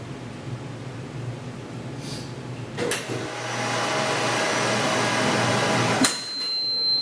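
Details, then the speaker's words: P2131 automated field steam sterilizer after an alarm reset at the end of a textile cycle: a click, then a steady pump hum and rushing flow that cuts off as the water recovery system brings the chamber to zero pressure; normal operation. "so the water recovery system turned on to allow this to come to 0 and look the chamber to come to zero pressure so we can get into it"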